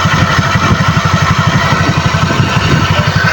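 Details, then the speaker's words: Honda Click scooter at idle: a rough, gritty grinding from the CVT belt drive over the quick engine pulse. It is attributed to overnight rain exposure and said to be easily fixed. "yan ang aking panggilid napakaingay parang may gilingan sa loob oh akala mo may gilingan may giling-giling sa loob di ba Grabeng ingay"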